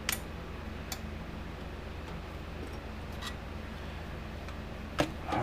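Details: 1987 Parmak Super Energizer SE-1 fence charger under repair: faint sharp ticks about once a second, steady even pulse, output tested at 9,500 volts; normal energizer pulse though front needle gauge is faulty.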